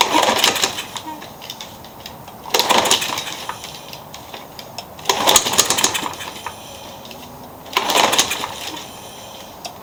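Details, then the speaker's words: Garbage-picked lawn mower: four pull-start attempts about every 2.5 seconds, brief sputters that never catch; hard starting, and blade or something underneath hitting the deck, though crankshaft and blade checked straight; it ran the day before. "You could probably hear it trying to kick over. The blade or something underneath is hitting something on the deck."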